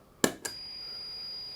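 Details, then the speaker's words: Guitar pedal: a homebuilt Dallas Rangemaster-style treble boost with an OC44 transistor, run from a standard Boss switch-mode power adapter. Two footswitch clicks, then a steady high whistle and hiss that grows as the volume is turned up. The cause is switch-mode power-supply noise. "you can hear that horrible buzzing noise that gets worse when you turn it up this is actually caused by the pedal being run off a standard switch mode type power supply"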